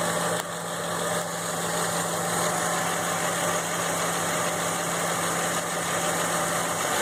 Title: F150 ticking sound (idle)